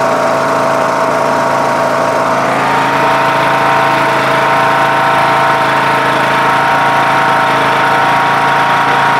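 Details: MTD Yard Machines lawn tractor with a 20 HP Briggs Intek engine and CVT, after the carburetor was replaced (earlier carbs surged) and the air adjusted to balance the mixture: steady, even hum with no hunting or surging.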